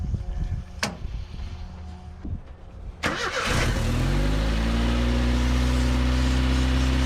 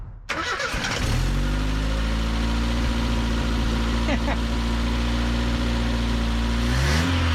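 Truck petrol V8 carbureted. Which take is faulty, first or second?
first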